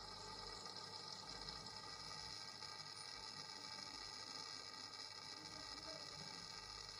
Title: buzzing sound coming out from wall